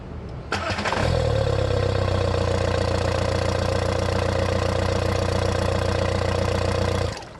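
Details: VW 1.9L ALH TDI after cleaning the sticking intake shut-off flap that caused no-start with normal cranking; cranks briefly, catches immediately, settles into steady even idle and shuts off cleanly; starts and runs healthy.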